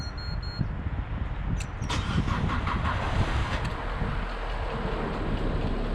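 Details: Alfa Romeo Mito, 5-year-old battery, cold start: starter turns slowly and drags for several seconds before catching, voltage dropping to about 9V or lower while cranking; weak battery, replaced and new one starts strong.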